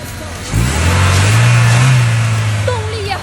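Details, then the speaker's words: Car that would not start (no spark, no fuel) after cleaning iron filings off the crankshaft position sensor: starts first try and again, settling into a steady even low rumble with music behind. "走，来启动汽车，看见没有？一次成功，再试一次。看，又着了。"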